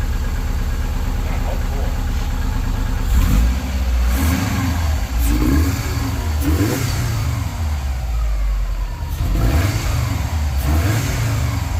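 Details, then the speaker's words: Subaru 2.5RS rebuilt engine, first run after reinstall, warming up, radiator not yet refitted: even idle with several quick clean blips rising and falling crisply, no rattle or miss; normal idle and revs. "well it is actually alive and sounding really good so far so heck yeah"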